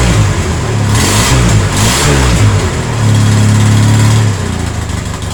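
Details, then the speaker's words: Polaris Sportsman 700 twin ATV, just started on a jump pack with brief choke: engine rumbles unevenly and revs with a puffy chuffing edge from the upper exhaust; owner suspects an exhaust leak needing gaskets, possibly also a nest restriction. "yeah uh got a little exhaust restriction sounds like it's leaking out the exhaust up here oh yeah big exhaust [Music] leak said we're going to need some exhaust gaskets"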